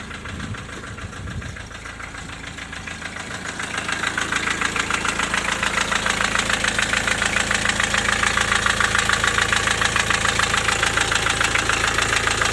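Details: Diesel at idle with an intermittent knock, hot or cold. Owner first suspected a turning valve shim, adjusted the valves, then wondered about piston pin or rings; knock persists: steady even knock about 3.5 per second, sharp over the engine note, piston slap.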